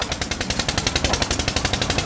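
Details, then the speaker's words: Hit-or-miss engine powering a sawmill, currently missing (exhaust valve held open, coasting on momentum) with governor control: rapid, even, sharp exhaust beats with no stumbles; normal smooth hit-or-miss running. "It's called a hit or miss motor if you don't know. Right now it's missing. It opens up the exhaust valve and it just runs on, I guess, momentum."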